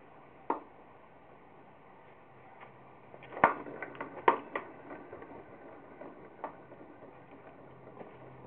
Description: The bearings clicking and popping while I spin the wheel by hand.